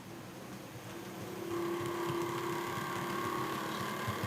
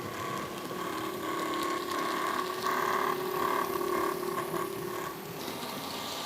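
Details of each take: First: Bachmann class 47 model loco, normally grinding in one direction, running in the other direction: quiet, even motor hum settling to a steady tone as it picks up speed, no grinding; smooth. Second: Bachmann class 47 model locomotive still grinding after full run-in: silky smooth in one direction, a rough ratcheting grind with a steady whine in the other. It eases at higher speed and is worst when slowing. Worm ends and prop shafts were already oiled. Cause unconfirmed.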